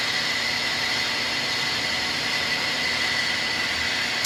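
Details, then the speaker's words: Precision Matthews lathe turning down a hardened-steel GM 12-bolt axle bearing journal at 250 rpm after chatter at 380: steady high hiss with a thin constant squeal, which is normal for hardened steel. "You hear that squealing? That's So that's perfectly normal because that's hardened steel that we're trying to turn."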